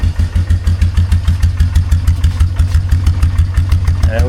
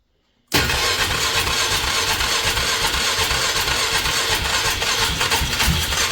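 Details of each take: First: 2003 Polaris Magnum 330 4x4 after fuel pump replacement: even low thump about three beats a second, steady and unbroken, idle set a touch low; normal idle. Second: 2003 Polaris Magnum 330 4x4 with hard-start history, gas squirted into the intake: churns over steadily for several seconds with uneven chuffing but never runs; has spark and compression, crank no-start with a fuel issue suspected.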